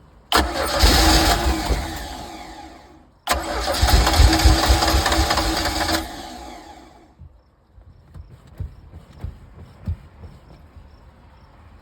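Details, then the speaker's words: 1982 Sea Ray boat engine with water hooked up: two bursts of even starter cranking, about four turns a second, with no firing. No fuel is coming through the fuel line; fuel only got up top when it was poured down the carburetor. "So I was not getting any fuel through my fuel line here to make, the engine happy."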